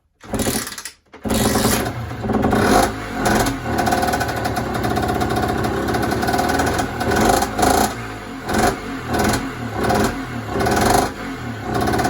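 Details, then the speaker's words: Yamaha DT50 two-stroke on first start after rebuild, stock carb: buzzes in uneven surging bursts and never settles into a steady tickover; the idle screw was out, fixed by turning it clockwise half a turn. "okay so the idol was a little bit out on this carb to get it running just turn this little screw here just turn it in clockwise half a turn and now it runs and ticks over great"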